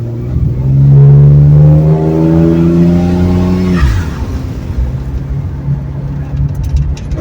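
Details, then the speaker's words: 1970 Ford Torino turbo inline six with new two-muffler exhaust, driving from a dead stop after gear swap, 9 to 11 lb boost: engine pulls up smoothly then eases to a low subdued burble, no drone or rattle, normal exhaust note. "well that was literally like the first Tex swag got done from a dead stop it's spun pretty good so car feels good gear change feels good it's good and quiet"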